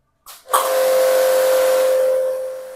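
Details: Kodenki KDK 8120V pressure washer restarted with gauge moved to the gun input, reading about 40 bar: motor starts with a rush then steady mid-pitched hum; running normally.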